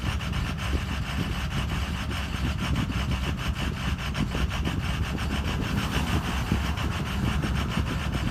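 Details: Ford Excursion 6.0 diesel: heavy idle with a ragged, uneven, intermittently stumbling beat that occasionally settles down to normal.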